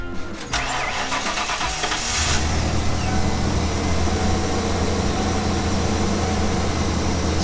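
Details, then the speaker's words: 1996 Ford E-350 Club Wagon van, 460 7.5L V8, just after replacing all 8 old, rusty, worn spark plugs: cranks briefly, then settles into a smooth, even low rumble with no misfire; running well. "running pretty good it was definitely overdue for some spark plugs"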